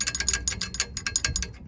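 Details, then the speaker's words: 2002 BMW E46 318Ci Sport (N42) idling: quick, uneven tinny metallic rattle, about eight clicks a second, heard from underneath the car, not from the timing chain at the front of the engine as first suspected. "that's the rattle not the chain which is all the way up the front of the engine there"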